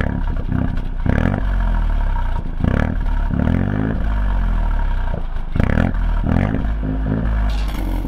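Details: 2020 Ford Fiesta MK8 ST with a Scorpion GPF-back exhaust, after fixing the rattling exhaust valve clip: clean idle and revs with no tinny valve rattle on the blips. Normal exhaust note.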